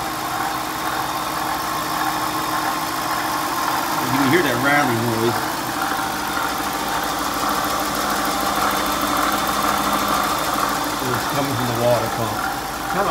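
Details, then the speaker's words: Dodge/Chrysler 5.7L truck, just over 80,000 miles, idling: a constant whirring growl from the front belt-driven accessories, from a worn water pump bearing. "so uh let me get this thing started up with Steve grab this camera see if it you can actually hear hear - all the noise this thing is making"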